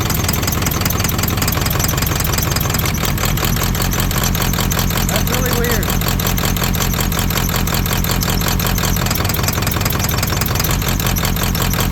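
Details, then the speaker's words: Ford 7.3 Powerstroke diesel, sat abandoned for years; rough, lumpy, stumbling idle as if several cylinders aren't firing; with one connector unplugged it misses on only one cylinder, plugged in it misses on about half; cause unconfirmed. "With that one unplugged, it sounds like it's only missing on one. When we plug it in, it sounds like it's missing on half of them."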